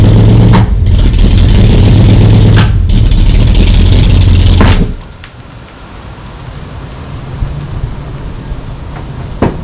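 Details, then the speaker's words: 1964 Ford Falcon Sprint, first running in 12 years, just lowered to the ground: loud, somewhat uneven engine for about five seconds before shutting off; lumpy beat, owner suspects a misfire, cause unconfirmed. "I'm not gonna lie, she's running a little rough. Sounds like she's got a miss or something happening,"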